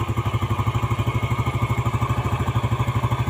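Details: Yamaha Jupiter Z after engine rebuild, idle rpm being set before the carburetor air screw is tuned: low steady thump at about three beats a second, evenly spaced, no knock or rattle; healthy idle.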